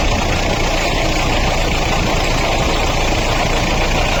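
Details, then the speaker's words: Mahindra Bolero diesel idling, bonnet up: rough gritty whirr under the clatter from the fan and water pump; damaged water pump bearing, caused by an over-tightened alternator belt, fixed by replacing the water pump. "आप जो है ना ध्यान से जो है ना इसके फैन और वाटर बॉडी को देखिए। उसके अंदर एक अलग सा वाइब्रेशन है। जिस वजह से गाड़ी जो है ना इस तरीके का अजीब सा साउंड कर रही है।"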